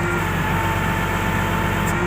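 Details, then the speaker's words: Komatsu GD511A grader, low-power complaint, hydraulic pressure re-set from about 10 MPa: steady idle, no throttle, lift plate held against relief with thin constant hiss and whine; relief about 2250 PSI (15 MPa), holding properly. "Oke, kita gerakkan di bagian ini teman-teman ya, lift plate-nya ya. Nah ini kita reliefkan begini teman-teman ya."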